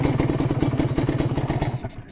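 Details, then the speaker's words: Kawasaki Ninja two-stroke (RR) revving with quick even exhaust pulses and a light metallic tick-tick on top, from worn power valve kit, not the piston; still worth buying; valve kit ticking. "Nah itu ada bunyi ke letak letak letak letak-letak gitu itu dari valve kitz ya bukan dari piston"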